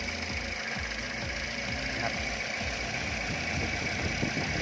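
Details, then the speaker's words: 2011 Toyota Corolla Altis idling unevenly with irregular low thumps and strong shaking, misfiring like a failed plug with hesitation and no power; ignition coil suspected, previously replaced, being tested. "ให้ดูนะครับความสั่นของเครื่องเห็นมครับสั่นเครื่องอยู่ไม่นี่เลยสั่นเยอะนะครับสั่นเยอะันมากเลยนะครับฟังเสียงได้นะครับ"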